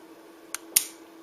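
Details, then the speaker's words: Wireless H-bridge for a winch on 13 V bench supply, car-starter-rated relays; two sharp clicks a quarter second apart over faint hum as button pressed, output ±12.9 V; normal relay switching. "so you can hear the um hear the relays clicking when I push the button a little light comes on"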